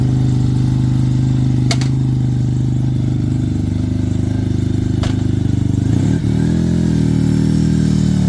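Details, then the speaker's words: Suzuki RE5 rotary motorcycle, outdoors after carburetor overhaul and setup: smooth, steady low buzz that blips up and settles evenly without misses or stumbles; normal running with carburetor set up correctly. "So we did start it just to make sure it would run, but we'll fire it up so you can hear how they're supposed to sound when the carburetor's set up right."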